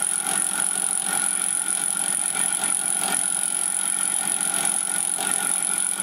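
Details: Fly cutter taking a 2 mm cut on the aluminium tailstand slide of a Gingery milling machine build: a steady high whistle pulsing about once a second over the cutting noise, the cutter rubbing on its back stroke.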